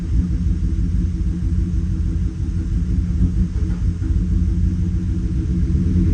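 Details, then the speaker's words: 2018 Chevrolet Silverado V8 at idle after injector swap, scanner live data showing misfire on cylinder six (cylinder three also flagged), MAP sensor code present: lumpy, uneven idle with dips; cause suspected beyond the injector, unconfirmed. "Okay, misfire. Cilindro seis, miren. Me sigue marcando. Puede ser que cilindro 6."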